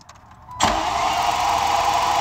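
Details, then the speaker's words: Vehicle just after fuel line and rubber hose clamp repair: short crank with injector ticking, engine catches at once into a smooth steady run, no fuel leak; starts normally. "weird how she sounds on when she cranks got so many cylinders it doesn't go roll goes and you hear all the injectors letting loose tick tick tick tick tick tick tick"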